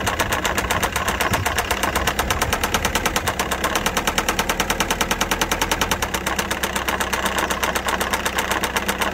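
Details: Citroen C4 Grand Picasso 1.6 HDI diesel, bought with about 190,000 km: loud rapid metallic knocking, several blows a second, over a rough idle; engine died from severe knock.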